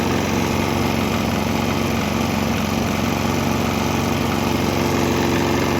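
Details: Swan X 165F Chinese single-cylinder diesel on a used motor oil and diesel mix; steady, even chug at a fast idle, no misses or knocks. Earlier bucking and stumbling cleared after it transitioned to the mix.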